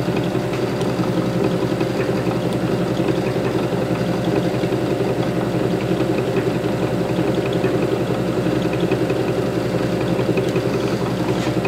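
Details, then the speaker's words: Zero-cogging generator for high-voltage grid-tie inverters, pre-shipment test at about 656 rpm and 546 V: a constant, smooth hum, mostly from the electric drive motor, with no knocking, surging or vibration. Normal running. "can hear the noise most of the noise is coming from the electric motor we're running 655 or 565 564 it's a steady there's no vibration"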